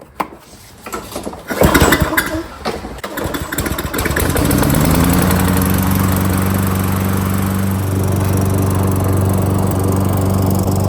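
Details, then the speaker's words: Free roadside Lawn-Boy mower after carburetor cleaning, fuel line checked and air filter blown out: a couple of rough pulls, then starts on the second crank and settles into a steady even hum; normal start and run. "Two cranks, start right up. Perfect."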